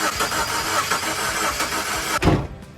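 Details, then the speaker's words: 2002 Subaru Forester, first crank after a used donor engine replaced one that lost compression in cylinder 1: even, steady cranking pulses for about two seconds. The starter spins strongly and compression sounds even. "I hear compression starters working"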